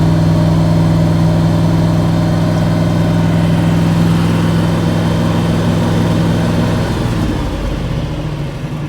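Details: 1977 Chevy pickup truck, Big Ten package, 350 V8 with granny-gear transmission, roughly a hundred thousand miles, choke faulty, cold start: steady, even low rumble at idle with no misses or knocks, settling slightly at the end; healthy cold idle.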